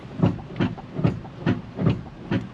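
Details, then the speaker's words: Silverado 2500 non-HD 4WD gas truck (2000-2006 GMT800, 5.3), about 163,050 miles, moving slowly: heavy rhythmic front-end clunks, two to three a second; worn pitman arm, loose idler arm and steering linkage. "we got something banging down below I'm not even going to drive it it feels like there's Parts falling off of this truck"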